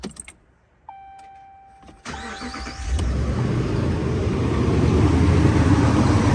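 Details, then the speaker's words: 2014 Ram 1500 5.7 Hemi after fixing P1416/P0306 cylinder 6 misfire (bad MDS solenoid replaced, loose spark plug found): short crank, then a smooth, even run with no miss. A slight exhaust manifold tick remains. "I'm just going to fill that as you can hear it's running nicely has a little bit of a manifold tick that I'm going to have to fix"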